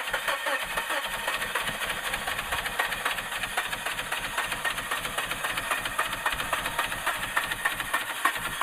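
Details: 2000 Suzuki Grand Vitara that won't start since its water pump was changed: the starter keeps turning the engine over at about four beats a second, but it never catches; cranks, no start.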